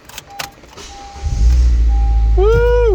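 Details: 2012–2015 9th-gen Honda Civic Si, 2.4L K24Z7, test start right after replacing spark plugs with the cover still off: a chime, a quick crank and it catches into a steady, even idle with no misfire or rattle. Healthy start.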